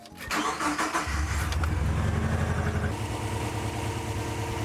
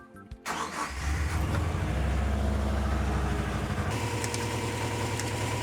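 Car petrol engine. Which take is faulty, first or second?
second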